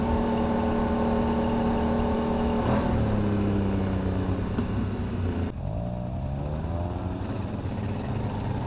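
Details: 2009 Can-Am Renegade ATV with whirring tones rising and falling as the engine revs and settles; owner first suspected a CV shaft, now suspects the CVT housing; fine a week earlier, 20-degree temperature drop since; cause unconfirmed.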